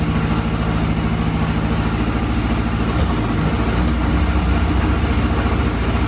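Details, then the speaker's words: 1962 Austin Healey Sprite Mark II four-cylinder revived after long storage, carbs adjusted, second start: steady low chuffing idle firming up after seconds, no misses; gauge shows no oil pressure yet, cause unknown (priming, gauge or leak suspected). "well the car runs pretty good now i did not see the oil pressure go up on the gauge"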